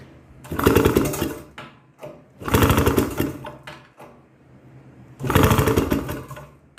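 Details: 1962 Harley-Davidson Topper scooter: three bursts of fast, rattling cranking, each about a second and a half, with quiet gaps and no firing; crank, no start.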